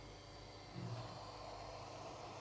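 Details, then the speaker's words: Turbine-type blower for a cold-smoking smoke generator, speed set by a knob: soft airy whir lifts as the fan spins up as the knob is turned up, then holds a smooth even hiss; normal blower operation. "То есть он включился. И прибавляя ручку, можем слышать, как он заработал вентилятор."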